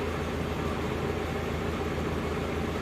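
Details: 1995 Daihatsu Zebra Espass 1300cc carbureted, just started after several days unused: steady, even idle around a thousand rpm, smooth low hum, no knocks, misses or hunting; engine healthy.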